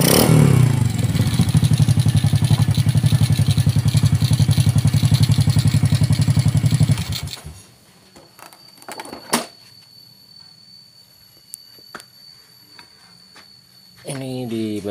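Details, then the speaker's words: Honda Karisma 125 single-cylinder, just rebuilt with the bore returned to standard after a failed 150 oversize, first start: even idle thump with a light regular top-end clatter. Valve tappet tick, clearance still slightly loose, to be tightened. "bagian batu klep masih agak kendor sedikit nanti kita akan Kencangkan"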